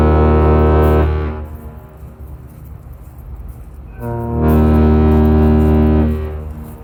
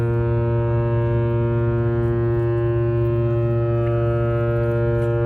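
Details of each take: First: Laker James R Barker arriving at Duluth at night in thick air, after an earlier salute misfired: two long, deep horn blasts with a steady low tone and a clean cutoff between them, a normal, healthy salute. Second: James R Barker ship arriving at Duluth at night, first horn salute came out wrong (misfire on the salute); deep steady low-pitched blast, cause unknown.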